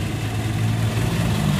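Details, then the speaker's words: 1994 Toyota Kijang Super G 1.5, original engine, already warm from running: steady, even low idle with no knocks, ticks or misses; smooth, healthy engine. "Nah untuk suara mesinnya seperti ini ini asli juga tadi nyala belum kita matikan kalau mesin saya anggap ini mesin juara suaranya masih halus"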